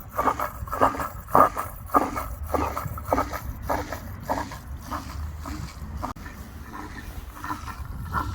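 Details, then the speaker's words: Old Beko washing machine drain pump run outside, gravity-fed water lifted up against gravity: rhythmic surging gurgle about two pulses a second as water rocks back in the drain hose, the characteristic normal pump pulsing. "So you'll recognise the washing machine, that characteristic pump noise, because it's basically water that's going so far up that it can't back feed water to continually push it through."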